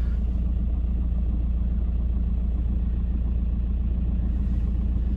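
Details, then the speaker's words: 2008 VW T5 van, 132,000 miles, at idle with clutch pedal out: a low, regular knocking rumble of three to four beats a second that disappears when the clutch is pressed. Worn dual mass flywheel; the clutch also slips, and both are to be replaced. "there's like a rumbling and then if I press the clutch in it disappears clutch out you can just I think you can hear that but um so we're going to change it"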